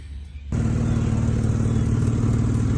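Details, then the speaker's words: Jeep Liberty winter beater with its exhaust leak wrapped in exhaust tape, left idling for about 20 minutes. Steady low idle with an even exhaust note and no sharp puffing, much quieter after the tape repair. Normal idle. "So letting the engine run for 20 minutes. You can already tell it's a little quieter. A lot quieter."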